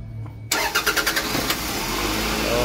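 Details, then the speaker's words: 2003 Toyota Previa, 2AZ 2.4 L, after timing set replacement (before, it took about eight cranks to start): restart with about six quick turns, then it catches cleanly into steady idle; starting normally. "Sige bro, restart mo bro. Start ulit."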